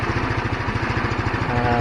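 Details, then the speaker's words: GY6 scooter that kept dropping RPM and dying after a week sitting, now after cleaning the carburetor main jet: even steady idle putter, no dips or hunting. RPM stable; normal idle, problem fixed. "so it looked like uh the rpm is stable look like the engine is doing good looks like cleaning the main jet on the carburetor"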